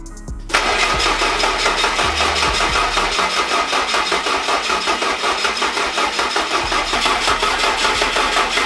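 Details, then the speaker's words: Fiat Coupe 16V Turbo after restoration and engine reinstall, battery relocated to the front; starter churns steadily with no firing and no oil pressure on the gauge. Owner suspects low cranking power. "I tried so many things, but still only cranks till the battery dies. Can't seem to get any oil pressure on the gauge, I think because the power is too low and it does not turn over enough."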